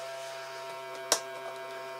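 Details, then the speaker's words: 1966 Aiwa TP-721 reel-to-reel dictation machine, fast forward and rewind: steady low motor hum with an even buzz and a stray click, heads spin but sprockets don't move; perished drive belts. Motor runs but tape does not move. "now I press fast forward you can hear a motor running yes some good sign there same we rewind the heads spin but the sprockets do not move at all"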